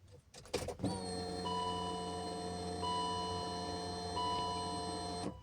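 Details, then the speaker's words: BMW E53 X5 after fuel pump replacement, pump under the seat: at key-on a steady electric hum for about four seconds then stops; normal fuel pump prime, previously engine would not start. "Բանալի բացելուց պետք է միշտ լսվի այս ձայնը,"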